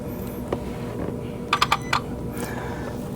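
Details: 2023 Kia Sorento engine compartment, vehicle off and key out: sharp relay clicks, one then a quick run of four; customer-installed constant-power accessory backfeeds a module, stops when its fuse is pulled.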